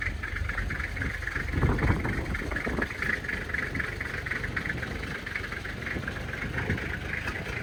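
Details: 1997 Toyota Land Cruiser HZJ75 diesel, true cold start around 20-25 degrees, windy, after glow plugs, recorded on phone: steady diesel clatter, even firing, no misses or knocks; smoky at first, then little smoke, blow-by looks good; normal cold idle.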